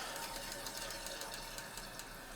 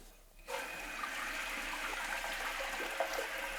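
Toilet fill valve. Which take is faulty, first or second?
first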